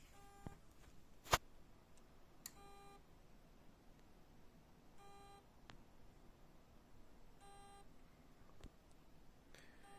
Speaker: сейчас покажу какая проблема при старте компьютера диск издаёт вот такой звук